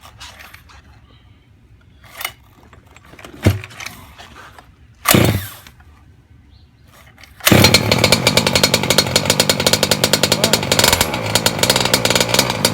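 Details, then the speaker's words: Engine on break-in, idle brought up and set fat: clicks, then a fast, buzzy, slightly uneven run, rich but running fine. "Don't worry, let it stall. We're gonna bring the idle up. It's nice and fat. That's how we like it."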